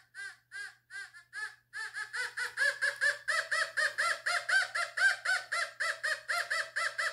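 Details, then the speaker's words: Fisher F44 metal detector air test in All Metal mode on a 14 karat gold bracelet at distance: rapid warbling high beeps about four a second, louder and steadier; strong clean gold response. "picks up gold's really well i'm very surprised"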